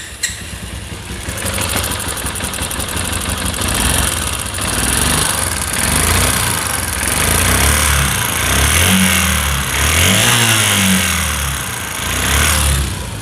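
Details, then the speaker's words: Runner Turbo 125 motorcycle that won't exceed about 30 top speed and runs very hot: rough, uneven clattering with a loose mechanical rattle as revs rise and fall; connecting rod and crank bearings found worn, gearbox bearings fine. "দ্বিতীয় নম্বর বিষয় হলো ইঞ্জিনের sound একদম বাজে, engine আগুনের মতো গরম হয়ে গেছে। তো ইঞ্জিনের সাউন্ডে আপনারা শুনুন।"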